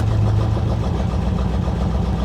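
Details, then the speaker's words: 1985 Chevrolet Corvette C4 Greenwood at an insurance auction yard, most gauges dead and coolant low: low, lumpy, uneven idle with no smooth rhythm; runs very poorly, cause not pinned down. "everything else is dead though and boy she does not run well good Lord"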